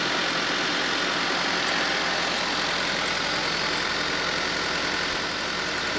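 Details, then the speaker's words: Honda Civic with an older battery reading 12.36 V before a slightly slow start. A steady, even idle with a bright airy hiss and a faint regular pulse around three per second; the charging system shows 14.7 V and is working normally. "we're going to let it run for a few minutes you can see it's a charging 14.7"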